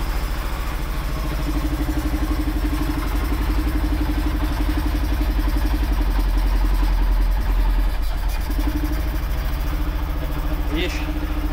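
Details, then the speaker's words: 2011 Arctic Cat 700 EFI idling after valve timing was corrected and a bad TP sensor contact fixed. Steady low thumping with slight unevenness; it runs only with cleaner added. Low rail fuel pressure from the pump is suspected, and the pump was already replaced once. "Ešte si zmerám kompresiu, ale ťahá ma to ku ťahá ma to ku palivovému čerpadlu. Proste to čerpadlo ma asi robí malý tlak."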